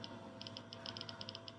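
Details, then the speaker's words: Prusa Mini 3D printer during first layer calibration, live Z adjusted quickly: quick bursts of faint high-pitched chirps over quiet hum as the Z stepper motor moves; normal stepper movement. "cranking it so fast I can hear the stepper motor over there moving"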